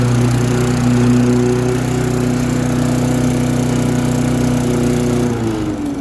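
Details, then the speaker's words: Lawn-Boy mower with a Tecumseh 4.5 hp four-stroke engine, revived after sitting 20+ years, cutting grass: steady drone holds even speed with no sag, misfire or knock, music over it. Normal running under load. "so you guys saw that it ran now we're gonna try to cut some grass with it so uh yeah let's give her a go"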